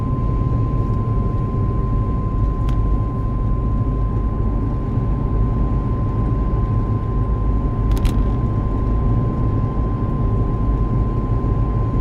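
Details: Loud steady thin high whine around 1 kHz over heavy road rumble at about 70 km/h cruising; dealer could not hear it.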